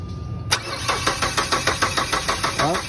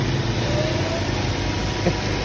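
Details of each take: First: Ford Escape stranded overnight, won't start: starter cranks briskly and evenly for a couple of seconds but never fires, with no fuel delivered; after tapping the fuel pump at the tank it started. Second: Ford Escape that would not start, after the stuck fuel pump was reinstalled and tapped back into working: steady, even low idle rumble with no misses, knocks or ticks.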